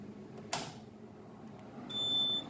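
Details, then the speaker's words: UPS after battery replacement and cleaning, battery breaker off, input switch turned on: sharp switch clack, then hum and thin high whine as the fans spin up; normal startup. "जैसे ही input switch on करते हैं, इसका fan तीनों model का start हुआ है।"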